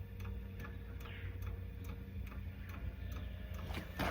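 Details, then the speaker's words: Eberspächer Airtronic diesel heater in a Toyota Coaster motorhome, heard at startup near the underside: even, sharp ticks about two and a half per second over a low hum, the fuel metering pump pulsing normally before the fan starts. "but I can't hear any fan or any pump at the moment I don't know if you can hear that but I can hear the fuel pump ticking underneath the"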